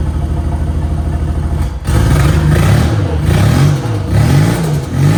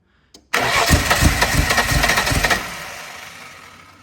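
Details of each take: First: VL turbo project, start after rechecking ignition timing: engine catches, takes several clean rev blips, then settles into a steady idle; running on its own with timing about right. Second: Holden VL turbo with new in-tank fuel pump, secondhand distributor cap, fresh injectors, timing position unknown: cranks, catches and fires roughly with uneven stumbling beats before dying; ignition timing well out.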